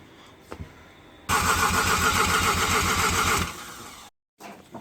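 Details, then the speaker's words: Mazda FD RX-7 bridgeported rotary, first start attempt, alarm wiring issues and missing connector pins: about two seconds of even quick cranking with no firing; igniters and possibly injectors not getting power. "there's a couple that's obviously not getting power like the igniters and probably possibly the injectors"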